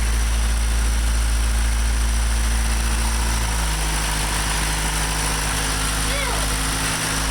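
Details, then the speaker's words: Honda Civic at cold start after replacing the head gasket with a Honda OEM part and ARP-studding the block. First start attempt failed, which the owner thinks is IEC-related. Now a steady, even cold idle with a smooth low rumble, no knocks or misses; timing good, air-fuel ratio 11.5. "Running. See, that's what I was talking about. Did that before. And then it's fine."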